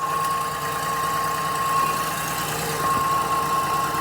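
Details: 2002 Acura MDX first start after replacing the exhaust flex pipe and catalytic converter: smooth, even idle with a steady hum, no puffing or ticking at the joints, some oil burning off; no exhaust leaks found.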